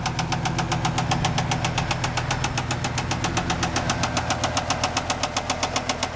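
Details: 1995 Chevrolet Camaro Z28 with LT1 V8, bought with a knocking engine, at idle: a sharp, heavy metallic knock about four times a second, very regular, a bad connecting rod bearing.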